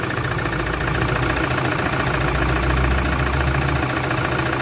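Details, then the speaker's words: Toyota Fortuner 3.0, code P0200 injector circuit malfunction, vibration at idle: uneven, lumpy idle with a loping thump about three a second like a motorcycle; one cylinder not firing because its injector is dead. "Okay so kung maririnig niyo talaga yung andar niya H hindi talaga siya normal talagang abnormal yung andar sa loob guys so mapapansin mo parang andar ng motorsiklo na may bali ba o parang may problema mismo sa loob ng combustion champer"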